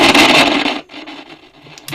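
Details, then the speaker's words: Philips P3G38T all-transistor car portable radio: loud harsh crackling rush as the volume knob turns, then fainter intermittent scratches; dirty, worn volume pot, and the set switches on with a big thump. "the volume pot, mate. That is screaming."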